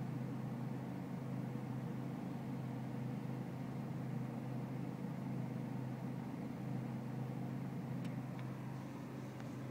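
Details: BMW E46 320cd diesel at low engine and outside temperature: low, steady idle rumble with slight unevenness in the beat; a rough cold idle, cause not yet pinned down.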